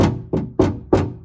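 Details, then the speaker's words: 2020 Mercedes-Benz Sprinter 2500 4x4 (Winnebago Revel) door panel knocked by hand before sound deadening and insulation were installed: five sharp hollow knocks, each ringing with a short tinny buzz, the bare panel rattling. "hear that rattling so when i put the insulation i'm gonna do it again just to see what happens or if that kind of uh gets rid of the noise a little bit"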